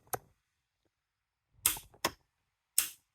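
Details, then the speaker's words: Ford 861 Powermaster tractor starter solenoid bench-tested with wires disconnected, one lead clamped to the battery post: crisp clean clicks each time power is applied, quiet between; normal, working solenoid, unlike the old one, which stays silent and is bad. "I've disconnected the wires just prove that there's nothing else going on here um so I've got one lead hooked and it doesn't matter which one is which so uh so you'll hear a click"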